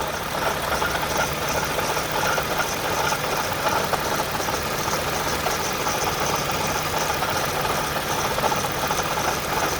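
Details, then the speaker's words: 2010 Toyota Camry XLE, warm idle after errands, hint of coolant smell: steady low hum with rough irregular rattle and faint high whirr; failing water pump, worst it has been, needs replacing. "that's actually the worst it's ever been now i just hear things i'm gonna wait another couple of seconds but um yeah now it needs to be changed"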